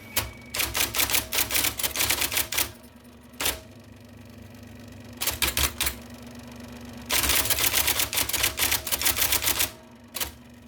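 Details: 1979 IBM Selectric II (non-correcting), revived after fixing a miswired plug and cleaning and lubricating: crisp, even clacks in bursts about four a second, steady motor hum between; normal typing.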